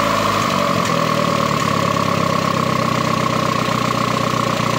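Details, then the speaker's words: 1.4 MPI turbo engine, first start; earlier high idle likely from a disconnected hose, now reconnected: settled even idle with faint steady whistle, no hunting or misfire; idle normal. "No pozrite sa sami. Tak voľnobeh normálny, tak ako má byť."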